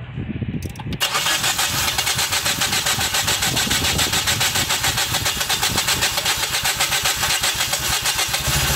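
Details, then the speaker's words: Dodge Journey 2.4 with a replacement used engine that won't start: even cranking with weak compression strokes, about 40–50 psi on cylinders 2 and 3. Waveforms suggest low compression from incorrect cam/crank timing sync. "okay Estamos viendo que la baja compresión la puede tener por mala sincronía"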